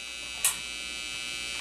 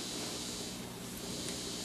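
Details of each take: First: Vintage Teisco Check Mate 10 solid-state guitar amp after replacing loose transistors, guitar plugged in and turned up: a steady buzzy hum sits under everything with brief crackles; there is some hum. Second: Vintage Teisco Check Mate 10 solid-state guitar amp after repair, turned up: steady, even hiss with no hum, crackle or popping; normal inherent amplifier hiss.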